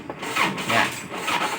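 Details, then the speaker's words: Tractor with a new battery and good wiring cranks slowly with a rasping whirr rising and falling about twice a second and won't catch; hard starting caused by a weak starter motor, not the battery. "อันนี้ก็คือตัวมอเตอร์สตาร์ทมันอื่นนะครับถ้าเราสตาร์ทแบบนี้นะครับ5-6ที่นะครับแบตเตอรี่ถ้าแบตเตอรี่ไม่ดีไฟมันก็หมดแล้วครับ"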